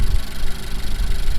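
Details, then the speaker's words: Honda Civic with rear motor mount, rough shaky idle with uneven low throb and dropped beats; misfire, owner suspects failing cylinder one injector given fuel smell in oil and blow-by in catch can; new spark plugs didn't fix it. "we could not fix it today but at least we're nearing down our options on how to fix it because just look at that shaking"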